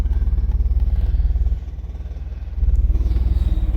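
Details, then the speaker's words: 1991 Eagle Talon TSi, revived after sitting over a year, at a gas station, check engine light had come on: steady low idle with a loose clattery rattle underneath; source not yet found. "Still lots of rattling under there."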